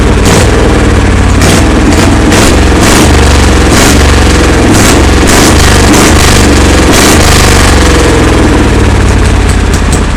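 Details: Kohler Command engine on a Cub Cadet pulling garden tractor, first test fire after redoing the fuel system: loud, deep, steady roar with fast even pulses and throttle blips, running strong with no misses or knocks.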